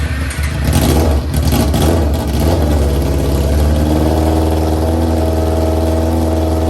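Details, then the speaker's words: 2001 Yamaha YZF-R6 carbureted motorcycle, first start in three years after carb rebuild, new jets and flushing out bad gas: catches with rough revs, then settles into a steady even idle. "but I finally got it started. It was rough. It was real rough."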